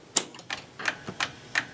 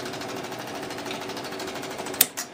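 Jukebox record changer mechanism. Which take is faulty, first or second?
first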